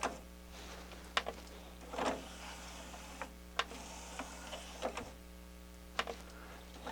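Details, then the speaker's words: Harman Kardon HK 720 CD player, tray loading fault fixed by cleaning a dirty belt; quiet motor whirr with crisp clicks as the tray travels and seats, no slipping or stalling. "we got a bad well it wasn't a bad belt it was a dirty belt see now it loads no"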